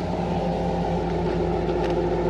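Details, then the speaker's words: Truck idling after new MAF and O2 sensors were fitted to fix lean codes P0171/P0174: steady, smooth low rumble with no misses, knocks or hunting. Normal idle. "it's got a very nice smooth idle smells good too as far as exhaust goes"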